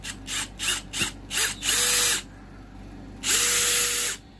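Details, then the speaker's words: Bosch GSB 18V-90 C cordless drill driving a screw with the Control Precision Clutch on: short bursts, then runs that stop cleanly at the selected torque with no clutch rattle, normal electronic cut-off. "You will see how when the machine reaches the stop I have the button activated But it has worked activated and it does not move we simply loosen it and it works again we manage to leave the screw according to the point we select but the rattle will not sound"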